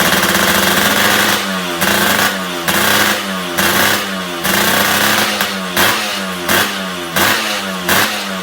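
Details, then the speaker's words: Suzuki Satria 2-stroke (Lumba) during restoration, about 70% done, engine newly running with stock exhaust fitted: crisp two-stroke crackle with even throttle blips about every second, revving and settling cleanly. Engine sounds smooth and healthy. "Knalpot juga udah terpasang, udah kedengeran suara mesinnya udah halus."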